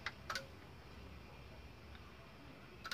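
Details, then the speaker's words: Philips FW-M570 stereo system: red standby LED lights, relay gives sharp clicks and it fails to power on; weak standby supply, works when an auxiliary supply is connected. "a minha fonte auxiliar está auxiliando aí a fonte do estande baixo do aparelho está fraquinha está segurando"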